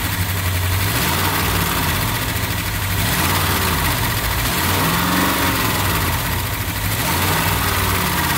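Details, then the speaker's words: 1959 Chevrolet Apache 3100 pickup, first run in over 20 years, with a fuel leak noted: a deep, steady rumble with a brief rev blip settling to an even idle. Sounds healthy. "not bad first time running over 20 years 1959 Chevy Apache"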